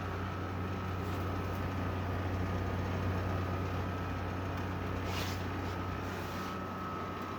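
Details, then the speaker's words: 2016 Arctic King 5000 BTU window air conditioner, model WWK05CR61N, compressor cooling at lowest temperature, fan on low, about 3.23 A, blowing freezing air: steady compressor hum under even fan rush, faint high tone, slight rattle; cooling normally. "Um This thing is blowing out freezing right now. Um It's rattling a little bit."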